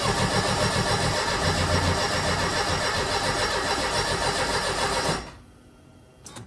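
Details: Mercedes 190E (W201) that previously caught fire, key on with fuel pump heard priming: steady cranking at about 220 beats a minute for five seconds, engine never fires, then stops; cranks but won't start.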